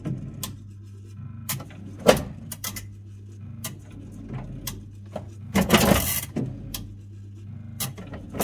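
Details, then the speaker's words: Chaffoteaux & Maury Nexia boiler after circuit board repair and thermostat rewiring, just powered on: irregular sharp clicks over low hum; false contacts on the board, likely missing copper pad breaking contact with diode and track. "Si je l'arrête, elle a peut-être pas aimé être allumée directement. Elle fait quand même ce cliquetis, c'est bizarre là."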